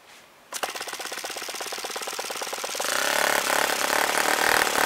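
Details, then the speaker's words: Vintage OS FS-40 model four-stroke (1981 design) on first run after full rebuild with new bearings, timing and valve lash set, APC 11.6 prop, full throttle after priming: catches immediately, quick even popping smoothing into a steady high buzz; runs fine. "a fine running engine. It looks like it's in perfect condition."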